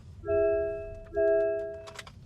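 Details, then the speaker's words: MG ZS EV before its comfort software update, passenger seated without seatbelt; two clear repeating bongs about a second apart over a quiet cabin, the constant passenger seatbelt warning until buckled. "as you can hear now I've got my wife sat in the passenger seat without the seat belt on and this is how its bonking so if you put your seat belt on this is the constant bonging it does if the passenger hasn't got the seat belt on"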